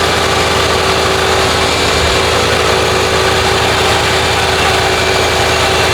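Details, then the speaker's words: Lincoln Town Car (OBD1) after replacing the idle air control valve for high idle, no code: steady, even idle with a smooth low hum, no surging, knocking or hunting; now about 800 rpm versus roughly 2000 before. "So see that was way too high before was like a two grand probably like at 800."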